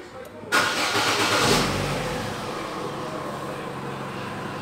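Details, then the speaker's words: Chevrolet Cruze at a workshop after valve cover replaced and earlier misfiring (coil was not the cause): cranks briefly, catches at once and idles smoothly with no stumble or miss. "ok ele pega liso sem falhar sem nada"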